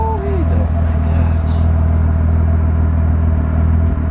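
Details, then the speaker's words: BMW E36 M3 after an M50 intake manifold swap and tune: deep idle with an uneven, lumpy, loping beat instead of a smooth hum. Rough idle, cause unknown. "hear how is still kind of lumpy and not a very smooth idle"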